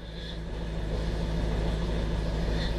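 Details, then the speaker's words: Fiat Panda Sisley 4x4 first start after restoration, cold on choke: steady low drone with a faint high whine coming and going; owner suspects the alternator and thinks it might ease off, unconfirmed. "making a noise in here. I know, I can hear it. Probably the alternator. It might ease off."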